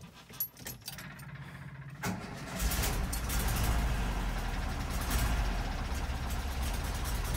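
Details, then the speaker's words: 1974 VW Bus with dual Weber 34 ICT carbs, just reinstalled after fixing fuel flooding into crankcase: cranks, catches after two seconds, runs lumpy and uneven; owner hopes it's air in fuel lines and will smooth out. "it starts it's a little rough right now but i'm hoping it's just the air bubbles in there needs to fill up with uh gas and then hopefully it'll smooth out"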